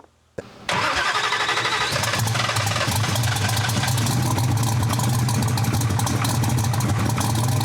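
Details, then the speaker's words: Drag race engine after heavy fuel reduction in the tune, plugs fitted; catches, then loud uneven idle with sharp irregular pops, sneezing twice, too lean to come up on the 2-step. "So now it's so lean and good air, it won't come up on the 2-step. I had to take so much fuel out of it before trying to get it to come around. Now it's unhappy. Heard it sneeze there twice and whatnot."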